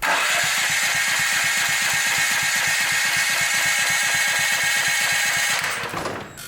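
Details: Brand-new Champion EFI generator that customer reported wouldn't start; fuel smells of diesel or kerosene, suspected poured in then drained. Fast, even firing pulses at steady speed, smooth exhaust note, running cleanly until shut down near the end.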